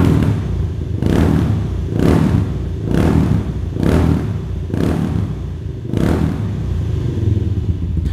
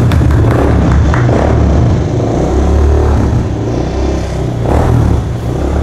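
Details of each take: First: Kawasaki Estrella 250 (W250) single-cylinder cafe racer with a custom silencer packed with plenty of glasswool: deep thump with about one sharp rev blip per second, smooth pickup, no knocks or rattles. Normal exhaust note. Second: Kawasaki Estrella 250 (W250) single-cylinder cafe racer at startup after the build: uneven coarse rumble and irregular pulsing after running a while. Rough engine noise; owner fears it could worsen or fail, cause not stated.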